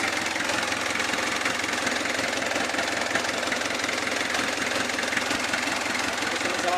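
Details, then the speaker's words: Kia Bongo diesel idling evenly with steady clatter, no misses, after a crank-no-start (click only) was fixed by cleaning the starter motor; the battery relay wasn't feeding the solenoid, so it was wired direct to start. Normal idle. "Wala naman naging problema sa pagar Ayos [Palakpakan] naman mga boss"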